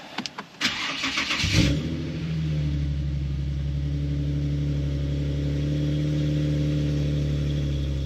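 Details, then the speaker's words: Nissan/Infiniti G37 VQ37 engine after replacing the knock sensors and sub harness with new stock parts: short crank, catches quickly, then settles into a smooth, steady idle with no misses or knocking. Smoothest start in a long time. Normal cold start. "awesome seems like it's running well it started up the smoothest has started up probably since before like the the level two"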